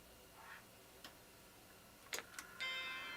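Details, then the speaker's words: Macintosh II logic board after trace repair, switched on at the power switch: a soft click, then a clear sustained chime. Normal startup chime; the board boots to a flashing question mark. "ho ho we got chime sweet and it powered up itself so that means this whole mess over here is working that's awesome"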